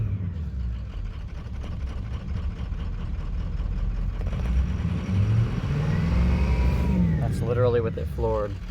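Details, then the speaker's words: 2004 Ford F-350 6.0 Powerstroke diesel with no power, stalling and random codes, throttle held floored: the drone climbs only gradually over several seconds, slow revving. The body harness above the turbo was later replaced, but the cause of this sound is not confirmed. "it almost dies when it goes back down and it's floored this is how long it takes for it to go up"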